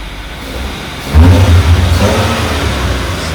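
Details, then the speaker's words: Maruti Suzuki small petrol engine after the faulty misfire part was replaced idles, then takes a quick blip of throttle and revs evenly; the earlier "chhu chhu" sound and the vibrations are gone and the engine is smooth. "यहां जो छू छू छूछू हो रहा था वह खत्म हो गया। मैं एक्सेलरेटर ले भी दिखाता हूं आपको।"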